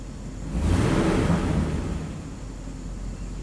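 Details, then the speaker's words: 1998 Chevy K2500 V8 with new intake manifold gaskets, idling smoothly with no misfire counts, IAC controlling idle; still sets P1345 cam correlation code. "But otherwise it runs perfect. There's no more misfiring."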